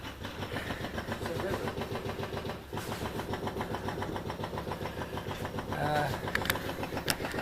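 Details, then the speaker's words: 1971 Triumph Stag Mk1 3.0 V8 manual, barn find sat 10–20 years, first start attempt by shorting wires: starter spins the V8 at steady three-to-four compression beats a second, never catches; turns over but won't start, spark unchecked. "yes. Yes, guys, it turns over."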